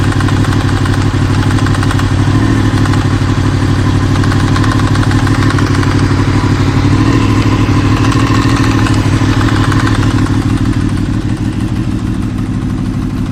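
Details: Warm Honda VFR800 VTEC V4 at about 56,000 miles, low revs: an uneven light knock about three times a second that appears only above about 80°C, around 1500–2000 rpm, seemingly from the right side, possibly the rear cylinder; source unconfirmed.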